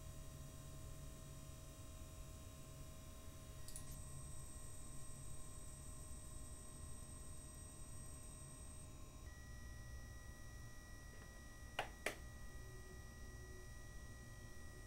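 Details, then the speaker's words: AMD Radeon R9 Fury X graphics card from the initial batch with the known bad pump: several steady high-pitched tones over a soft low hum shifting slightly with load, a noisy pump whine. "next I'll stop The Fan so you can hear just the pump alone and finally noise samples for startup a stress test and a shutdown"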